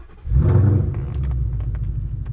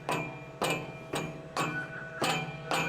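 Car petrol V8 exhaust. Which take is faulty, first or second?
second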